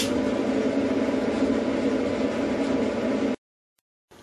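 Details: Performa dryer run after reinstalling its drum baffles, checked for noises from loose or broken baffles: a steady, even hum with a low drone and no knocking or thumping, then it stops; normal drum operation.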